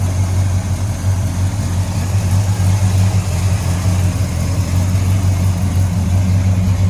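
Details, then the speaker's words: 1966 Pontiac GTO, rebuilt 389 ci (6.4 L) V8 bored .030 over, Brawler 650 cfm carb, 4-speed manual, custom dual exhaust; just started and warming up, heard from the engine compartment: deep, even idle rumble, no misses or knocks; starts every time, good battery and alternator. "nice and clean engine compartments starts up all the time good battery good alternator"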